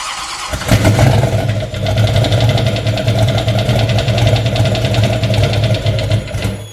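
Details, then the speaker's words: Turbo LS-swapped Fiero at first start in about a year, new injectors, untuned: catches and idles with a fast, even ticking clatter on top; owner checked oil level as a possible cause, found it fine; valvetrain clatter at idle. "all right just check the oil um just make sure that that's not what the clattering was that it was too low or something"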